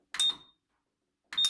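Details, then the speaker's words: GE DCVH680GJ1MR dryer, about ten years old, stopping randomly: two sharp clicks as the control board is tapped, motor trying to start; bad motor relay on control board making intermittent contact. "I tap this one it'll make it start so here's it does click start and you can hear something click and try to go"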